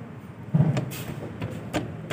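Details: Maruti Alto 800, not old, arm worked by hand: dull, uneven clunks, about five in two seconds, loud suspension noise when driven; worn lower control arm pin joint, cut at both points.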